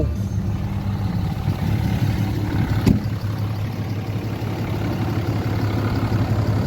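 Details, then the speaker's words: 2012 Ram 3500 6.7 Cummins diesel at idle after replacing a water pump with a loose, rough pulley and a broken belt, coolant refilled: steady, even clatter, smooth low rumble, no knocks, ticks or squeals, no drips, running cool. "all right we got everything running back on I don't see anything dripping [Music] all right everything is running nice and cool"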